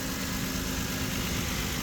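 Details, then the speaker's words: 2008 Ford Explorer that randomly dies and then won't start (fuel pump or filter suspected by others): even, steady smooth idle with no misses, knocks or surges; running perfectly at this moment. "Like, they thought it was the fuel pump or maybe the fuel filter. Well, it's running perfect."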